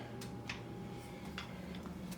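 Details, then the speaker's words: 1990 Harley-Davidson FLHTC EVO, turn signal module bypassed with two relays: quiet light clicks recurring in the background as the relay switches the signals on and off; normal turn signal relay operation. "I got the signal lights working i bypassed the the signal light module with two relays and"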